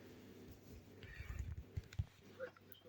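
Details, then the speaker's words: Built-in Bosch microwave switched off with door closed: steady low hum (stops when door opens, inside heats) from a relay stuck on the control board; fix is replacing relay or tapping it with an insulated screwdriver. "the problem is when it's off and the door is closed it's making the Home Sound and it doesn't help switching off disconnecting from the power doesn't help it so the problem is there's a rally"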